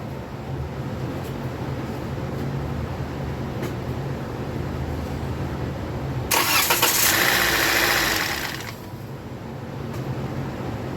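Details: 2016 Toyota Corolla, first start after DIY timing chain replacement, oil topped off, no coolant yet: engine cranks briefly, catches quickly, short even run then shut off, no knocking or chain rattle; normal start.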